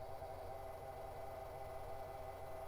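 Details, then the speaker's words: Early-2000s AOpen CustomPC at power-on: a steady, mid-pitched, horrible whir over a low hum comes from the graphics card fan, the only fan not serviced. It is a dry, failing GPU fan bearing. "let's see what's making that horrible sound I'm going to guess it's the GPU fan because it's the only fan I didn't mess with yep sure is"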